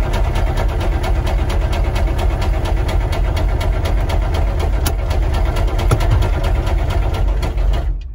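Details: Military Humvee diesel running with almost no oil pressure: a hard heavy knock hammering several times a second, staying loud throughout, rod knock.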